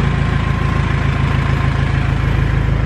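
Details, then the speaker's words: 1997 Jeep Wrangler with a swapped-in R2.8 Cummins diesel, first start-up: steady, even diesel clatter at idle with a regular firing beat, no knocks or misses; engine sounds healthy. "sounds good I'm too nervous"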